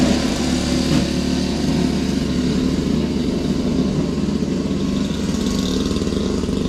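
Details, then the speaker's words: Toro Powerlite single-stage snow blower, model 381182, 98cc two-stroke, 16-inch, old primer bulb, briefly warmed up, clearing sidewalk: steady buzz with low even drone, no misses or knocks; normal running under load. "don't know, I think it works pretty good. It doesn't throw it real far, but it still beats the shovel, that's for sure."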